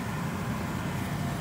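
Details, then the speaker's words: Ford Fiesta ST150 after replacing the worn-bearing blower motor and the resistor pack: smooth, even rush of air with a steady low hum and no grinding or rattle. The grinding noise is gone; fixed. "but yeah oh that's so much better i can't believe that's actually fixed it no not that grinding noise anymore"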